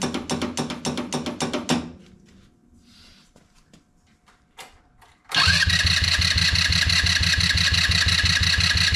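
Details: HammerHead 150 off-road go-kart, after emptying the fuel tank and installing new parts: rapid regular cranking about three per second, pause, then engine catches and runs steadily; hard starting, cause unknown.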